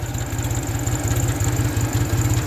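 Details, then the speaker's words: 1974 Ford 3000 gas three-cylinder tractor, revived after water-locked engine, new sleeves and muffler, synthetic oil with zinc additive: even steady chug around twelve firing pulses a second, no misses or knocks; healthy idle. "gotta love this little three cylinder hole works but it does run good"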